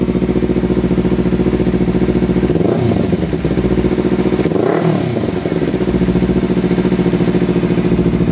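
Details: Small motorcycle with about 3,300 miles, lightly baffled exhaust: loud, even idle with two clean throttle blips that rise and settle smoothly, no knocks or rattles; runs healthy.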